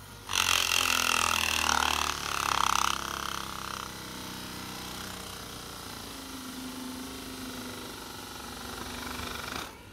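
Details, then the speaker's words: After loud clatter at the start, steady low even hum of a hydraulic autopilot pump motor run unloaded while measuring current; current normal, no overheating or short circuit, motor runs normally. "so the current is within the normal range you can hear the pump yeah so and it doesn't uh hit up so there is no shut ciruit"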